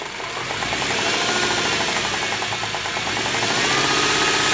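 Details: 2001 Subaru EZ30, 206,000 miles, routinely maintained: sharp metallic knock two to three times a second over the idle; owner suspects rod knock, unconfirmed.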